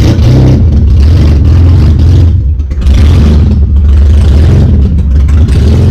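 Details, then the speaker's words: BMW E30 drift car, sat over a year, starts right up and revs with no exhaust fitted: loud, deep raw note rising and falling with each throttle blip, no misses or knocks; engine runs fine. "car has been sitting for over a year and it started right up with no problems so the motor is good"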